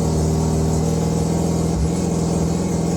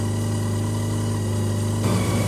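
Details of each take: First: Mazda 323 rotary that had been running rough, after setting the timing and refitting the old distributor parts: a steady, smooth buzzing drone at an even pitch with no misses or rattles; normal running. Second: Mazda RX323 (rotary Mazda 323), running a little rough, idle turned up, air mixture screw adjusted, timing being checked: fast, smooth idle holding steady around 1500 rpm, a touch high; high idle speed.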